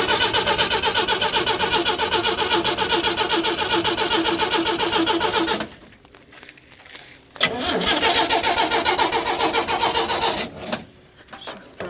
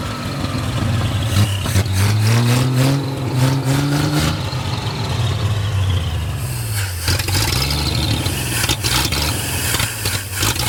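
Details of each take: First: 1937 Chevy 250 six-cylinder, unrun for years, coil now hooked up and gas poured in the carb: two long bursts of steady cranking at about four turns a second, never catching. Only a little spark; owner plans to sand the points. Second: 1937 Chevy with a 250 six-cylinder that had not run in years. It first ran loud with the timing a little out. After the timing was adjusted it idles and revs cleanly through two blips, sounding even and better.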